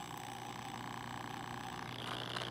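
A steady low hum with a faint even whir, no rattle or scraping: the drain pump motor is spinning freely and sounds healthy.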